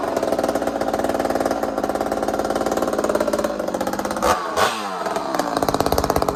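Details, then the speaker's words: Ported two-stroke chainsaw on first fire after rebuild: revving rough and rattly, then sudden jarring stumble and clatter before picking up; a connecting rod bolt broke and jammed at the crankshaft. "So it just happened to be one of the connecting rod bolts broke, and it just got jammed up in there at the crankshaft, and you know, nothing got up past the piston up into that area, so we got lucky."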